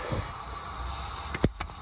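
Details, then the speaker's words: Seat Ibiza FR 1.8T boost pressure test at about 13–14 psi, heard under the car: steady airy hiss with sharp bursts. Boost leak at the push-connect boost pipe joint below the turbo, which has no rubber seal. "this is the push connected joint down from the turbo and it's leaking from there i'm only putting about 13 or 14 psi in there and it's"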